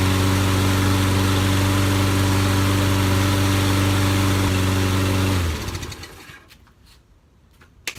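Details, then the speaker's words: Discarded lawnmower after repair (carburetor passages cleaned, spark confirmed), first run on gas with air cleaner off: smooth, steady single-cylinder idle, even beat, no misses or knocks, clean shutdown; runs good, drive not yet tested. "we go runs good so now we got to see if the transmission is any good if it'll drive"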